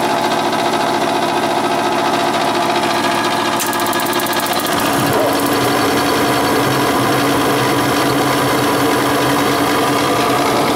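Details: Gas furnace with no heat and a loud noise when running: loud, steady whirring with busy mechanical rattle from a failing blower motor that needs replacing.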